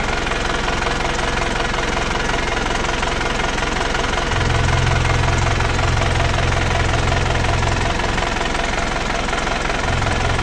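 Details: Panther Touring diesel as it arrived, before repair: idle with a regular clatter of about two to three beats a second and a heavy chuffing undertone. Excessive blow-by.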